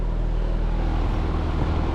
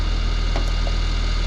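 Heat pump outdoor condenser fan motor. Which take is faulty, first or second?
second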